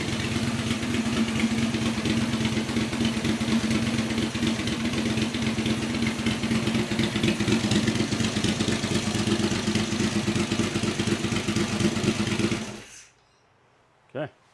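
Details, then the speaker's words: Yamaha XV1000 Virago with 750cc heads for high compression, tank and exhaust on, early cold morning: steady, even V-twin idle with lumpy beat and no misses, then shutdown and one backfire pop; running normally. "That sounds sick. Sounds really good."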